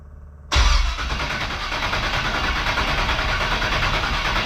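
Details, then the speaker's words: 1969 Camaro rat rod with a used engine just installed: starter spins the engine steadily for several seconds but it never fires; no spark because the distributor was not yet powered. "Oh, wait, I'm stupid. I gotta hook up power to the distributor for it to actually throw a spark."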